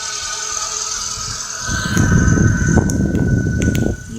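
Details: Nissan Tiida 1.6 manual idling with a steady high whistle from the worn clutch release bearing, heard while the clutch is pressed and released; cured by replacing the clutch kit (Valeo NS-60).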